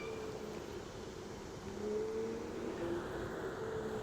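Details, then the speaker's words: Segway Ninebot S-Plus self-balancing electric scooter at its 12 mph top speed: short mid-pitched beeps repeat over road and motor noise as the speed-limit warning, and the scooter pushes the rider back. "if you could hear it beeping like that basically what's going on is it has a top speed which I find to be a really big issue"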